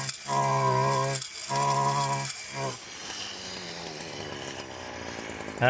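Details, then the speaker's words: Stihl FC 56C edger after full-throttle problem repair, tested edging a walkway: two crisp steady high revs, then a lower note as it bites into the edge; runs clean, normal running under load. "So, that sounded really good. Ran really good. Cut really good."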